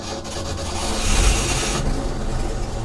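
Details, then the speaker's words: 1966 Ford F500, barn-stored 20 years: rough, raspy exhaust rumble builds then settles into a steady run; engine firing and holding on its own. "oh gosh all right everybody it is running you probably can't you probably can't hear us over all the [Music] noise"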